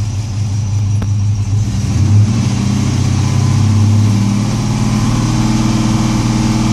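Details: LS1 V8 idling with a deep, uneven lope, its exhaust beat stumbling irregularly instead of running smooth: engine misfire at idle.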